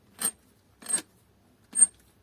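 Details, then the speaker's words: Kyocera ECOSYS M2030 printer: non-original compatible imaging drum, with debris inside the corotron, gives three short, high, raspy squeaks when turned by hand; the drum itself is squeaking. "слышно как скрипит не очень я люблю эти барабаны но за неимением другого зовутся не стоит"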